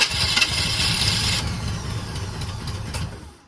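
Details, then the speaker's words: 1980 Chevy K30 small-block 350 with carburetor, cold, after new relocated solenoid install, choke worked by hand: cranks with a few ragged firing puffs that never catch and dies; dislikes throttle, vacuum leak or carb problem suspected. "Nope. Try again. It doesn't like having any throttle."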